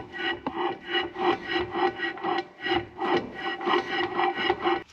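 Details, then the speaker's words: Vintage 6x6 truck transfer case turning with the handbrake off: a rough, rasping scrape about twice a second, thought to be the drum handbrake shoes rubbing inside the drum; cause suspected, not confirmed. "it definitely sounds like it is the drum break shoes scraping on the inside of the drum"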